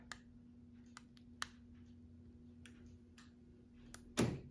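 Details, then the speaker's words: 1970 Chevy El Camino with newly installed iKey Premier keyless entry, alarm disabled: crisp light clicks in a quiet cab, then a solid thunk as the doors auto-unlock when the key nears; normal door lock actuator operation. "So now if we go to the interior and you walk to the car, it unlocks the doors as you just saw there. So unlock."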